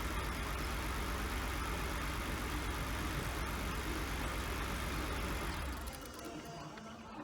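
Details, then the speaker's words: 1999 BMW 328i after new fuel pump, battery and air intake hose: starts but runs uneven and lumpy at about three pulses a second, dying when throttle released, will not idle; owner suspects a missing cylinder or bad fuel. "dude there you go it'll start it up it'll run it won't idle uh i got to keep the keep giving it the gas to keep it running so we either got a cylinder missing or we still got a bunch of bad fuel in there"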